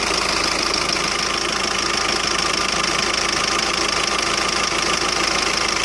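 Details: 2007 Skoda Octavia vRS PD TDI 170 diesel at tickover, engine rocking, unburnt-diesel smoke, poor performance: rough uneven idle with a steady knock about 200 a minute over hissy clatter, like a misfire; owner suspects an injector problem.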